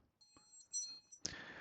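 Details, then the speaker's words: Seeed SenseCap T1000E running SoftRF, connected by USB to a PC, button double-clicked to create the settings file; a short run of thin, high chirps, then a click and hiss as it reboots, normal mode-change confirmation beeps. "Um at the same time the device changes the mode."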